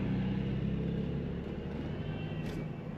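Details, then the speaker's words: 1999 Chevrolet Cavalier Z24 convertible, 39,000-odd miles: a low, steady hum at an even pace with no misses or knocks; smooth, healthy idle. "Smooth idle. These were nice. This is a Z24, so you've got extra power."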